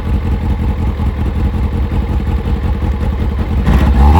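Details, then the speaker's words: Kawasaki ZZR600 with a Micron exhaust, carbs just resynchronized: smooth, even four-cylinder burble with a rev blip; starts first time, running normally. "So, now the bike does start and it does start pretty much first time every time."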